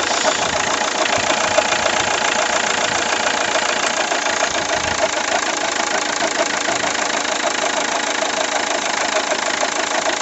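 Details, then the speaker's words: 2003 Toyota Yaris petrol engine, 206,000 km, idling, alternator replaced in 2011 and working fine: a dry, busy whirr with light irregular clacking from a tired accessory belt tensioner pulley, which two garages had wrongly blamed on the alternator. "alors le pour le bout il faudrait que je regarde un sûrement mais me semble que c'est le galet tendeur qui est qui est un peu fatigué"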